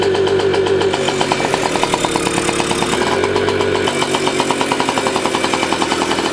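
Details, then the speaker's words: 1985 Yamaha QT50 scooter, small two-stroke: runs with a rapid buzzy beat but stays flat and never climbs in pitch; spark confirmed, owner plans to test for exhaust blockage by disconnecting muffler. Engine will not rev. "juice it's definitely working wouldn't make that stunning so now it's still not running right it's very weird what this thing's doing"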